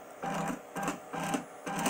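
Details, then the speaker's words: DIY CNC EDM machine cutting in tap water dielectric, electrode motor not turning, CNC struggling to maintain gap distance; crackling spark bursts about twice a second with gaps; owner suspects too much capacitance causing big, infrequent bangs; unstable spark gap. "something tells me that we're gonna have to change this a little bit I think I've got too much capacitance it's causing too big of a bang and not often so I think more capacitance actually bit me in the butt"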